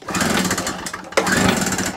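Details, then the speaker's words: Small two-stroke generator after new spark plug and carburettor clean, restart tried with no choke: two short rattling pull-start bursts with a pause, engine never catches; it won't start without choke and runs once choked. "No, it likes to choke."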